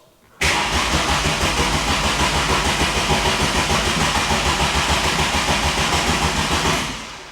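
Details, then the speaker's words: 1981 VW Golf Mk1 GLI 2.0 Cabrio, sat about five years, new battery at 12.6 V but no ignition lights: a steady starter churn at about three beats a second for seven seconds, never firing; cranks but won't start. "no it doesn't fire guys okay well it didn't catch fire but it didn't start either"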